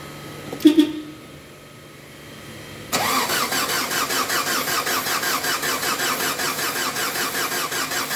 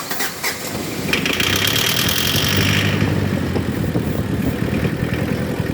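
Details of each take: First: Mazda WL diesel, hard starter, after pumping the fuel priming pump and using brake cleaner as starting spray: a brief grind, then it fires at once into an even, steady idle pulse. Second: Mazda WL diesel with hard-start problem, after priming the fuel pump: cranks briefly, catches and settles into a steady, even idle with no knocking or stumbling; runs clean once started.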